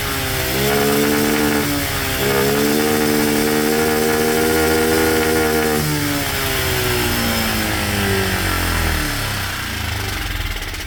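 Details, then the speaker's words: Cheap monkey bike carburettor after screwing air-fuel screw fully in then backing it out: small revs rise and settle smoothly with even firing, no stumble; mixture about right, needs fine tweaking. "That seems to be pretty good, a little bit more fine tweaking, and I'll be able to get it pretty bang on."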